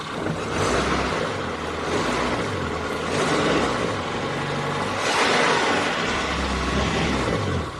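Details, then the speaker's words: Car engine after cleaning the throttle body with carburetor cleaner while running: revs rise and fall smoothly, idle stable, no air leak; clean, quick throttle response. "ô tô đã ổn định, nó giảm RPM một cách trơn tru và sau đó tăng tốc nhanh chóng, đây chính là thứ chúng"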